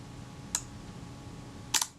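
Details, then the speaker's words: Kodak Retina IB type 019-II, shutter release pressed gently: a soft early click releases the film advance alone, then a separate sharper shutter snap over a second later; out of sync. "And if I press this down very gently, I can hear a click. Now that released my film advance, but the shutter hadn't fired."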